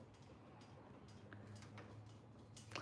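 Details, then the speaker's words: Rebounder in use: faint, uneven light ticking about every half second over quiet room noise; cause unknown. "It does make a bit of a noise. making a little ticking noise. Can you hear that ticking noise? Oh, it's not that bad, is it really?"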